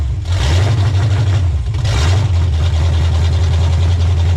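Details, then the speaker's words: 1985 Pontiac Trans Am 350 small-block, first real run after 7 years, cold, with open exhaust manifolds: loud, deep rumble catches and settles into an even, lumpy idle. The idle screw is raised afterward for warm-up. It runs fine. "what a team to be alive open manifolds on this though insanely loud"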